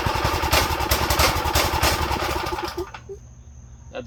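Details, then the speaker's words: Go-kart small engine after draining the fuel bowl and tank and adding new fuel: uneven popping for under three seconds, then fades out as idle is too low; owner suspects dirty carb jets, idle needing raising. "better A lot better maybe it needs the maybe the idle needs to go up let me see we probably need to clean the Jets to be honest"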